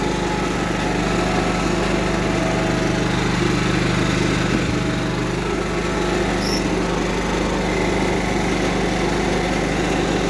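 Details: Cub Cadet 1330 mower Kohler engine, first run after long sitting, with a plastic piece removed from the tank outlet; steady, even beat with no misses or knocks, slight high-pitched clatter on top; runs smoothly.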